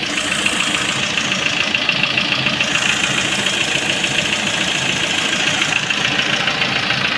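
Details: Lada Priora idling with a steady bright clatter and a repeating knock about twice a second; oil pan removed, camshaft replaced and lifters repaired without effect, owner says it is not the piston; cause unknown, mechanics can't say.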